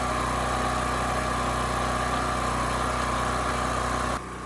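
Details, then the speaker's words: Champion 40026 generator (3000 running watts, 120 V) after carburetor cleaning (rusted tank): started first pull, choke off, steady governed hum firing evenly with no misses, then shuts off; 125 V, about 60.8–61.5 Hz; running healthy. "okay very nice this thing started first pull turn the choke off right away and it ran quite smooth so the engine or the carburetor specifically is now good"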